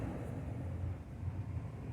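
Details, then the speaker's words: Samsung 11 cu ft refrigerator compressor won't start after replacing start kit: low strained hum never reaching running note, drawing about 12.9 A, thermal overload trips; locked compressor, run capacitor still to be tested. "let's go it's the thermal It trips 11.5 it doesn't trip yet it doesn't start the thermal tripped"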